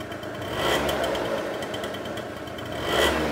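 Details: Two-stroke scooter during carburettor idle-screw adjustment, screw turned well in, no throttle: steady light buzzing with ticking, engine holding idle on its own; normal idle.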